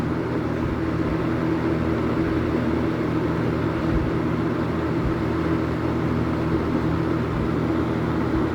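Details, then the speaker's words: Late-1970s Kmart/Lakewood K-223 20-inch box fan with McMillan motor, started on high: steady even whoosh of air with low constant hum, no rattle or wobble; running normally. "so I'm going to start it up on high and it has a really really cool startup sound so hopefully you can hear that so it runs really nice"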